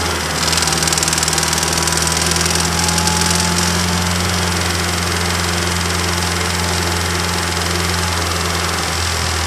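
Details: Heavy, loud idle with a deep rhythmic bottom-end knock, recorded by a microphone in the engine bay; first thought to be a bad lifter, it turned out to be a rod bearing failure and cracked crank.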